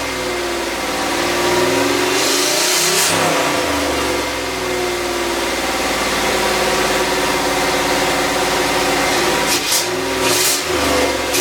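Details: LS V8 turbo swap in Miata kart catches and settles into lumpy idle, then sharp throttle blips pick up unevenly and hesitate; poor throttle response from unfinished tune, MAP sensor just rewired, proper injectors not yet fitted.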